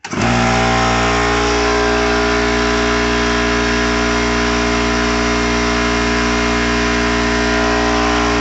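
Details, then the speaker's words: Old 30 gal Sanborn direct-drive compressor, just under 2 hp, bought new 10–12 years ago: loud, steady motor drone with a strong low hum and even buzzy rattle, constant throughout; pretty loud but running normally. "now my old compressor is pretty loud when i run it let me just show"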